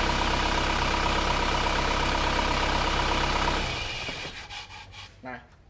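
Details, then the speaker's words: Isuzu Panther diesel after PCV valve spring was cut (non-original spring too stiff): engine shut off cleanly, runs down to quiet with no lingering crankcase hiss; crankcase pressure now venting properly. "sekarang suara mendesisnya sudah tidak ada, berarti tekanan udara di dalam kalter itu sudah bisa terbuang dengan baik dengan kita memotong per katup PCV tadi."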